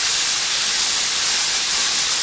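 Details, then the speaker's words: New Campbell Hausfeld 20 gal twin-cylinder air compressor, tank pressurized, motor off: steady sharp hiss, soap-and-water test shows bubbles at a pipe fitting; air leak at fitting. "i don't know if you can see those bubbles right in there that's because that soap and water are still there and it's leaking right there"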